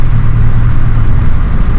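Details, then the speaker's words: Old Blazer V8 after engine repairs for water in oil and low oil pressure, warm at about 180 degrees, while driving: smooth, deep, even drone with no misses, ticks or knocks; running quietly, earlier problems seemingly gone. "back from laser now I guess it's you can't hardly hear it running so I'm going to say that uh"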